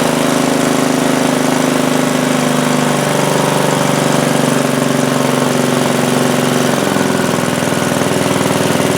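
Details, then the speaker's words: Craftsman T100 lawn tractor, Briggs Intek single-cylinder engine, running after a hydrolock repair with the engine cover off: steady, even running, no knocks or misses, pitch settling lower, residual oil burning off in the muffler; normal running. "Alright, not bad. Looks like we got some oil or residual in that muffler that's going to burn off for a little while, but it should be fine after that."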